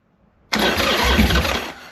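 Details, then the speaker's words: 2001 Harley-Davidson Sportster 1200 custom, carbureted, sat about 3 years: with too much fuel squirted down the intake it barks to life for just over a second, then dies. The engine runs but has a fuel supply problem; the carb needs rebuilding. "that is a okay we got noise we got noise all right I'm really excited about that now we need some car work guys I definitely put way too much fuel in that"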